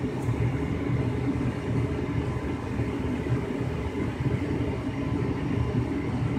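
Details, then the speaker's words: 2005 Lennox Elite series 90,000 BTU gas furnace in heating mode, after burners lit: even steady low rumble with soft airflow hiss, no knocks or squeals; normal blower operation. "so i'm gonna wait for the blower to come on now which sounds really cool in heating mode"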